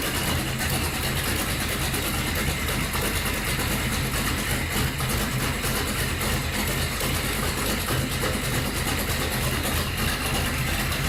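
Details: Datsun Magnum V8 with new supercharger, charge piping unhooked and no air filter, rewired ignition: steady even idle, loud rumble and hiss on top, no misses or knocks; normal idle.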